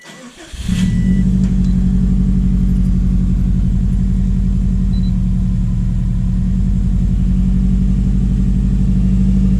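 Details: Subaru STI after winter storage: quick crank, catches cleanly, settles into steady, even low burble with no misses or knocks; sounds healthy.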